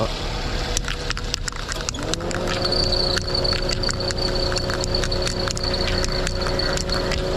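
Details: Perodua Myvi, engine warm, air-con on: thin high steady squeal over idle with handling clicks around it; slipping accessory belt as Toyo belt dressing spray is about to be applied.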